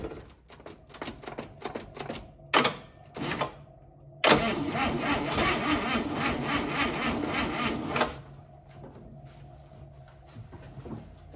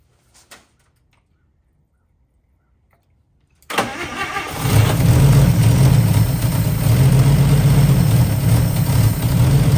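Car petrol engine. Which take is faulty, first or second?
first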